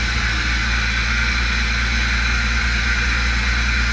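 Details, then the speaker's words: Jeep WJ after vacuum tube and elbow repair, airbox off: steady fast idle with loud intake air hiss, should be about 750–800; possible miss, no warning lights, cause unconfirmed. "still idling high. So I don't have any lights or anything. But it should be down there around 750 to 800."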